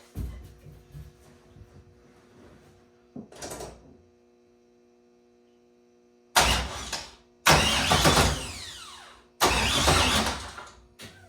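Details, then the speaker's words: Freshly installed LS3 V8, first start attempt: repeated starter cranking bursts without catching; no power to injectors and ignition coils, owner suspects the coil packs were not grounded to the head. "I think my problem was I didn't have these grounds for the spark plug whatever units. Jesus Christ, losing my mind. I didn't have them grounded to the head, and I think that's really important."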